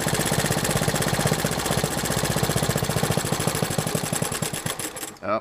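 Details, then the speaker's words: Honda 110 three-wheeler, warm, adjusting ignition timing at idle: even firing pulses slow over five seconds then stop dead; retarding timing dropped idle until it stalled, so set fully advanced; timing chain suspected stretched. "it just died. So yeah, we're going to go all the way advanced and just leave it there."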